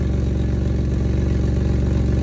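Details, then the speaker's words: Jeep Liberty at idle after cracked exhaust pipe repaired with new flange, adapter, copper RTV and new clamp: loud low puffing with raspy chuff, still an exhaust leak but much quieter; owner suspects a muffler hole. "still sounds like an exhaust leak but it's a hell of a lot quieter than what it was"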